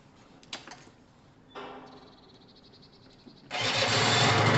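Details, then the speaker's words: Gilera DNA two-stroke scooter with new battery, running triple the oil to loosen it up: a few clicks, then fires first try into a steady, buzzy, even idle; clean healthy cold start. "that's nice that's always a good start remember it's got triple the amount of oil in at the moment to loosen it all up"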